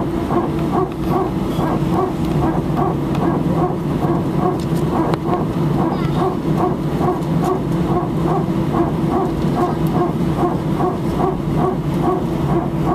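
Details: Air France A319 cabin, seat 18F, taxiing before takeoff from Sofia: a harsh, repeated bark about twice a second over steady cabin rumble; cause of the barking unknown.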